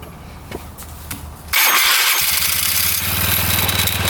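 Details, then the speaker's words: After a worn, cracked drive belt was replaced: a quiet crank, then it fires at once into a quick, steady popping idle; starts and runs fine. "Alright, this one's all fixed. Alright, that's a lot better."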